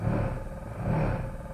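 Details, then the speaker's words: Coda electric car: low, coarse buzzing hum from the drive motor when put in reverse while the car won't move, caused by the three-phase motor leads on the inverter being connected in the wrong order. "Did you hear that buzzing sound the motor was making when I put it in reverse? My professional opinion is there's something wrong with it. But I actually know what it is this time."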